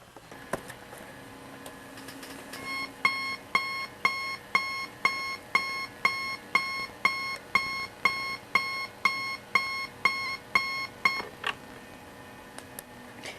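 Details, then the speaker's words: National Panasonic alarm clock bought at thrift store: bright, even alarm beeps about twice a second, buzzer working normally. "let me demonstrate the uh alarm buzzer and then that will pretty much do it for this video"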